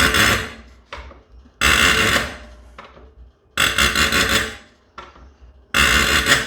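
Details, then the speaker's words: 12-valve Cummins injector from a 1993 first-gen truck, 6-hole nozzle, tested before rebuild on a hand-lever pop tester: each lever pull gives a crisp half-second burst of hissing chatter, repeating cleanly, normal injector chatter. "So you could hear as I was pulling down on the lever, that sound that it was making. That's what you want to listen for in chatter."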